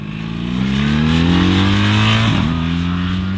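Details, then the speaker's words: BMW R 1300 GS boxer twin revving smoothly with evenly rising pitch, then settling, no whine or knock; a mechanical hum is heard only when cold, warm it makes normal boxer sounds, slightly quieter than the old GS. "abbiamo letto i commenti negativi a riguardo nei social dove abbiamo postato questo video e vi possiamo dire che solo a motore freddo si sente questo ronzio poi fa i dovuti rumori da motore boxer seppure un po' meno rispetto al vecchio"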